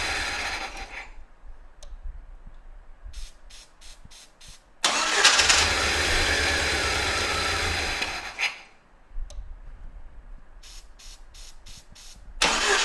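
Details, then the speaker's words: 1997 Jeep Wrangler's first start after a starter install, long unrun and with no coolant: the engine cranks and catches with a harsh metallic scrape for a few seconds. The shield around the transmission is suspected of contacting something. "We may have to make an adjustment to the the shield around the transmission down there. Sounds like the shield is uh contacting somewhere."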